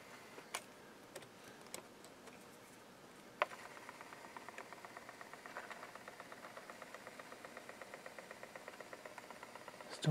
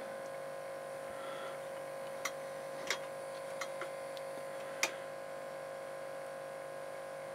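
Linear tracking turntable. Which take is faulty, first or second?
first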